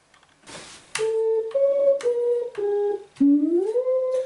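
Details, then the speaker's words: Custom synthesizer player interface (STM32 Nucleo, PC sine generator): sine notes with on/off threshold ramps added to remove clicks step cleanly between pitches, but each held note warbles nastily; cause not yet found. "So we can listen to that, and we can hear a nasty warbling noise. So I think that's our next task, is to find out what that's all about."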